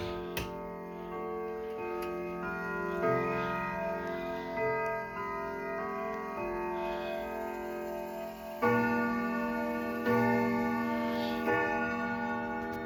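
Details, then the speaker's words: Sligh triple-chime clock, fully repaired: Westminster chime rings out on the hour, clear, evenly spaced and in tune over a steady tick. The clock is chiming properly. "right hang on one minute as you can hear it sounds really well"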